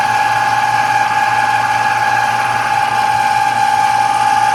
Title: Air conditioner noise